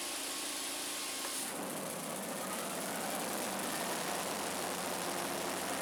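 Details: Scag Turf Tiger 61, Kohler CH25S engine, after replacing the bad ignition coil and setting air gap with a 0.010 in feeler gauge, spark on both sides: steady even drone as the blades engage under load, no cut-out.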